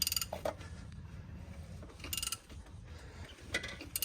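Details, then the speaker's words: LS-family V8, freshly machined engine, turned slowly by hand: a few sharp isolated metallic clunks as the piston reverses, bottom-end knock; owner suspects a broken rod, not confirmed. "oh you heard the rod uh that might be a broken rod now it's turning all the way around so hmm"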